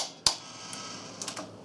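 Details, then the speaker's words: General Ionics water softener with Fleck 3210 timer and brass Ionics valve (installed 1996), after service, dial manually advanced past brine fill: one sharp click then faint ticks as the timer drops into its home service position; normal. "Just continue to turn this white dot around until you hear it click back into the home position."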